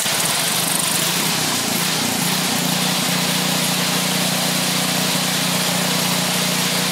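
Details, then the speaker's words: Craftsman snowblower's Briggs & Stratton 8hp OHV single, restarted with a little choke while flushing milky water-contaminated oil with used oil: catches and settles into a steady even buzz, no stumbling; running really good. "she's running really good"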